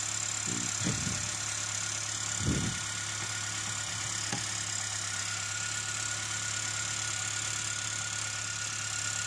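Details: Ford Territory Titanium with low power and low charging, after its moisture-damaged ECU/PCM board and connector were cleaned and dried; the alternator showed a failure: quiet, steady idle hum with a few handling clicks, no knock or misfire.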